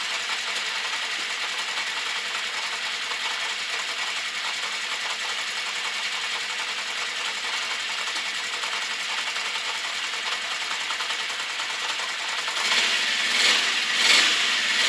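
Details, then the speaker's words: Honda CB650 Custom started very cold, ticking after warm-up at idle with slight backfire: light, quick steady ticking about eighty a minute; owner suspects clutch, cam chain area or valves, especially cylinders 3 and 4, unconfirmed. "Second, the ticking noise, I think, is coming from the clutch or from the cam chain area somewhere, and also on cylinder number 4, which is on the other side of the bike. I think I can hear the valves ticking."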